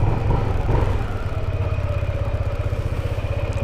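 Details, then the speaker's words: Sniper motorcycle after repair at the shop: even single-cylinder idle thumping about four times a second, quiet and free of knocks or rattles; healthy running engine. "Aba tahimik yan. Ito na yun."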